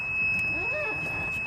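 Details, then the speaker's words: Golf cart geofence alarm after driving too close to the green: steady high-pitched electronic tone over a low motor hum; the cart can only back out. "alright the geofence has engaged since I got over close to - its beeped at me the only way I can get out of this would be to back up"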